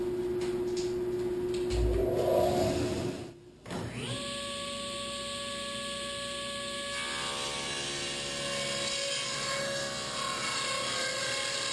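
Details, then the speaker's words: Table saw with an 8-tooth low-kick ripping blade ripping a 2x4 at 1-inch fence width: steady, even whir with a faint fast patter of individual teeth striking, a different whir than other blades; cutting cleanly. "You can almost hear the individual blades strike. And it also makes kind of a different whirring sound compared to my other blades."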